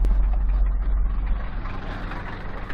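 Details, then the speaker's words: Toyota Celica started by tow after sitting over two months with a dead battery: freshly started engine runs rough with a dull low knock under the idle; rod bearing knock from a spun bearing. "Już! Odpaliła. Ale panele słychać."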